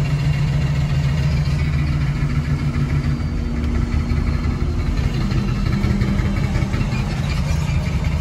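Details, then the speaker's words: Ford 6.0 Powerstroke diesel truck with a suspected failing ICP sensor: a low rumble that wavers and sags unevenly as oil temperature passes 200 degrees, struggling and sounding about to stall, and it then shuts off. "oil's getting kind of hot it might shut off it's sounding it's it's definitely sounding like it's gonna shut off yep there it comes"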